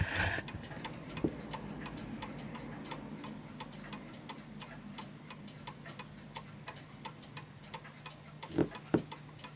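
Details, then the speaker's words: Vintage British Bentima/Perivale Art Deco 8-day mantel clock in beat after pushing the pendulum adjustment left and right: crisp, evenly spaced ticks about three a second. "a perfect tick so it's tick tocking perfectly and it's that bit that you need to sort of push left and right cuz you you can feel it easing into position"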